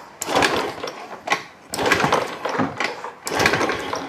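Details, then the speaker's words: Fuel-injected motorcycle brought in pushed, dead: three kick-start strokes about 1.5 s apart, each churning burst dying without catching; fuel present, still no start. "oke gak bisa hidup kan Nah kompresi BBM dan pengapian bbm-nya sudah ada"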